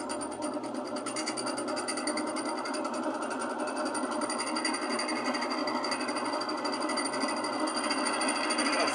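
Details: Old Miller centrifuge spin dryer motor tested on its capacitor: motor hums and builds speed slowly over several seconds instead of snapping up to speed; sluggish start from a weak capacitor, stronger capacitor wanted.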